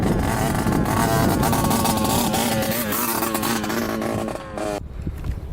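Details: 1986 Yamaha YSR 50 two-stroke with an aftermarket DG pipe and a gas leak, on its first ride: buzzy revs that waver and stumble under throttle. Owner suspects something plugged restricting fuel flow.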